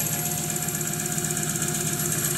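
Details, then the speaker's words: 1995 VW T4 van, ACU petrol engine that stumbles and stalls when warm; adjustable resistor wired in series with the coolant temp sensor and set to 400 (about 75 °C simulated) on a cold engine, and it still idles steadily with a hissy top end, no stumble yet. "400 entspricht ungefähr 75 Grad und da läuft er halt noch"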